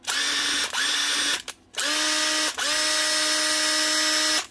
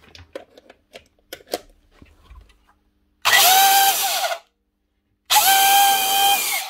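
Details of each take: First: 10-year-old Makita DTD146 after a new armature and set of brushes runs in short bursts of clean, even high whir, no rattle or stutter; healthy, like a new machine. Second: Old Hitachi quarter-inch router, 240 V, test-run before repair: spins up in short bursts with a high, wavering whine and rough edge, no sparking; bad motor bearing or maybe two.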